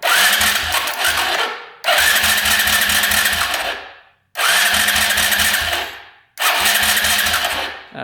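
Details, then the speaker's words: 2011 Polaris Phoenix 200cc ATV after repair: four two-second bursts of steady fast cranking that never catches; starter now turns the engine over properly, the no-crank fault having been a cut wire at the ignition, now reconnected. "right that problem's fixed so all along it was the cut wire at the ignition which I thought was just bypass but yep so at least we found out the problem"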